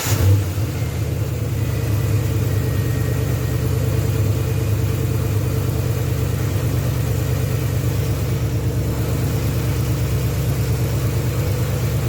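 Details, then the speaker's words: 2010 Ford Crown Vic, 4.6L 2-valve V8 with junkyard M90 supercharger, manual 5-speed, after new timing chain tensioner assembly and idler pulley: deep steady idle rumble, quiet, no belt whistle or whine; normal idle. "nice and quiet no more noise"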